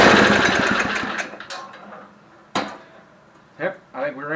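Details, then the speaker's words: Barn-find Homelite Jacobsen Imperial Sno 524 two-stage snow thrower with a 5 hp Tecumseh, pull-started on choke: rough chatter that dies within about two seconds. It runs briefly then stalls; running out of fuel was mentioned. "yep hey she runs yeah let's see if i can fire it up again here and keep her running this time"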